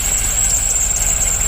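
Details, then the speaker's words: Cadillac CTS-V, supercharged, restarted after repairs; steady piercing high belt squeal over the rough idle, tensioner suspected and being replaced next. "well other than the belt squeal that's back again well she seems to be running okay all right that tensioner is coming next"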